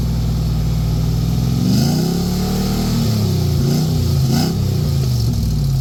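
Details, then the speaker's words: Truck with its muffler removed before a patched muffler was refitted, engine revved: deep, raw roar that blats louder with revs and falls back; loud unmuffled exhaust. "now I'm going to go ahead and show you what this sounds like with the muffler off"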